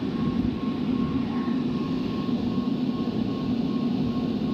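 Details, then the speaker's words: Rooftop (RTU) HVAC blower after remounting the loose blower wheel bearing housing (one bolt, stripped holes, new holes drilled): steady airflow rush with faint even tone near 1 kHz, no knocking or rubbing; never 100% smooth but running normally. "They're never 100% smooth. That was just crazy that the wheel wasn't attached."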